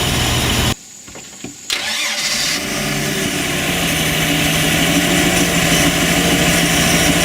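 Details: Mercruiser 4.3 V6 boat engine with new block, rebuilt carburetor and new fuel pump, possible water in the fuel; brief cranking, then catches and settles into a steady, even idle with no misses or knocks; normal idle.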